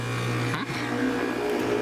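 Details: AC condenser starting after the capacitor, previously mounted with mastic tape, was replaced and rewired: low even hum, brief surge at kick-on, then smooth steady run; condenser starts normally.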